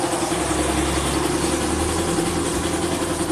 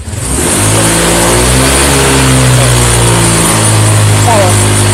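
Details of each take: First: Honda Vario 125 LED fuel-injected scooter after throttle position sensor fix: steady, even idle with a smooth low putter and no knocks, misses or surging. Normal idle, scooter back to normal. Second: Honda Vario 125 FI (LED) revved at wide throttle: it revs, then holds a rough, uneven, ragged 'brebet' note and loses power. Fuel pump pressure is normal and a faulty TPS sensor is suspected, not confirmed.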